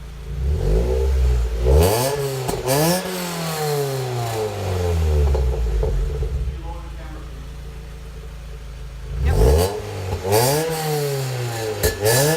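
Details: Car with newly installed Goodwin Racing Helmholtz exhaust, free revs recorded from under and behind the car: hollow, tinny, metallic rasp on the exhaust note from the Helmholtz chamber, worse under load at wide-open throttle while driving.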